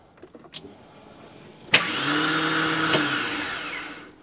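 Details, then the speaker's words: Porsche 986 Boxster with a swapped V8: click, then a high electric whir spinning freely about two seconds without cranking; starter not engaging. "i don't understand i don't understand oh it's so frustrating so it's not starting again but the starter might look like it worked"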